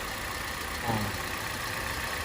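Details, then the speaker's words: Used car engine idling during a second-hand buyer's engine check, before A/C is turned on: quiet steady hum with even, unbroken rhythm and no ticking or knocking; engine judged very good, all normal. "mestinya sangat bagus kawan jadi pakai ini mesinnya masih bagus banget Ya normal semuanya"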